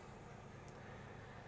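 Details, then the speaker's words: Narrowboat Miss Amelia after diesel-to-electric conversion, PMAC electric drive motor spinning, heard from the engine room: only a low, soft, even hum, barely above room noise, with possible water noise; no knocks or whine; healthy, very quiet motor. "and that's the amount of noise that it makes. You can just in there hear the possibly the water noise. Very, very quiet and very, very powerful."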